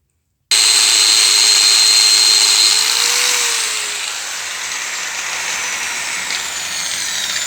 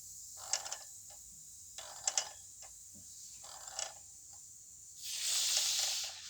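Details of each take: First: Yamaha T-Max 500 second generation, front wheel spun by a grinder, whine above 40 km/h: bearings checked, no play, greased; coasts down with only soft even hiss, no whine from bearings; speedometer drive sensor suspected. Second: Yamaha T-Max 500 second generation, front wheel spun by hand: dry high scraping ticks in bursts from a worn speedometer drive; whine above 40 km/h, wheel bearings found fine, no play.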